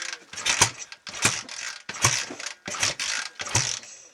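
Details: BSA A65 Lightning with Pace electronic ignition, first start attempt after a full engine rebuild (new big ends, main bearings, top end): five short cranking bursts that never catch; ignition timing suspected off, not confirmed.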